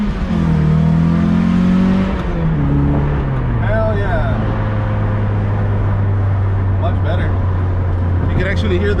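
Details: Lotus Elise under an acceleration pull after fixing the underneath exhaust leak: smooth, even drone climbing and settling with no rasp or popping; quiet, normal exhaust.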